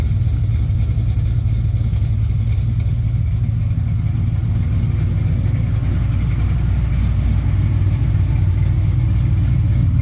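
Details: 1969 Camaro V8 back running after sitting, carburetor serviced: steady deep idle with a slightly uneven lope and no mechanical noises; runs but seems a bit rich.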